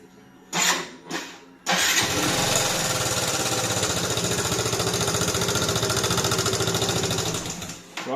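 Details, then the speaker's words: Yamaha Xmax scooter engine running: fast, light metallic ticking that keeps pace with engine speed, from abnormal play in a worn rocker arm roller in the cylinder head striking the valves. "Tu vois, quand on entend ce beau bruit, c'est qu'il y a un gros problème dans la culasse. Arboracam, culbuteur, soupape."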